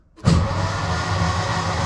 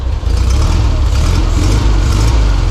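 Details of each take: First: 1952 Volkswagen barn-door bus ambulance with its 25 hp engine, rebuilt after a case leak repair, oil primed and showing oil pressure: steady, even starter cranking with a regular low churn and no firing. Crank, no start, no spark. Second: 1952 VW barn door bus, 25hp air-cooled flat-four, cold on choke after engine rebuild, fixed by setting fuel reserve switch to on: steady, even low chug with no knocks or misses; normal idle.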